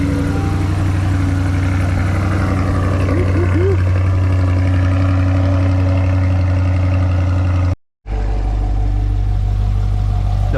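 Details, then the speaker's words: Rebuilt 2020 Corvette C8 Z51 V8 on first start after dealer key programming, coolant filled, exhaust in sport/track mode: a deep steady idle with one brief blip and no knocks or misses, a healthy start. "sounds good though good start"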